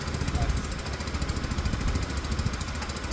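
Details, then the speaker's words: Peugeot Tweet scooter after reassembly and ignition fault diagnosis, ignition loosely wired: small single putters with a low, fairly even beat and no rattles or squeals; sounds smooth and healthy. "sounds smooth yeah sounds great"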